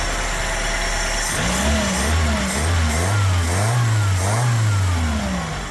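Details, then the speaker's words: Toyota TE72 wagon barn find, owner-rebuilt engine with documentation, driven 25 miles, alternator failing; engine blips and settles cleanly, no misfire or rattle — runs, drives nice, idles good, normal running. "But it runs, it drives nice, it idles good."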